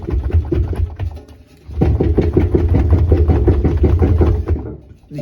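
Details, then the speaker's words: Washing machine, drum shoved by hand: loose dull clunks and knocking about three a second from excessive drum play; spider bracket broken, drum had rubbed and melted rubber, machine not worth fixing. "hear there's a bunch of movement in that drum yeah this machine's toast uh yeah you can see there's a lot of damage here where the the lip of the drum is so the spider bracket is shot on this thing and this machine is not worth saving"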